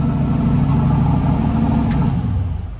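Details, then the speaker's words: LS engine now on a stock truck intake after a shaved intake broke: smooth, even idle with a steady low rumble and no knocks or misses; runs and idles as it should. "So runs and idles just like it should. Turn it on and fires right up."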